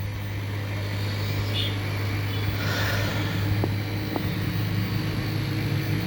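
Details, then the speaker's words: Samsung inverter AC outdoor compressor, which previously would not run, after circuit board repair, set to 16°C with indoor fan running; steady low even hum, no clicking or stalling: healthy. "Compressor চলতেছে, আপনার শব্দ শুনতে পাচ্ছেন। হ্যাঁ, ইনডোরের fan চলতেছে।"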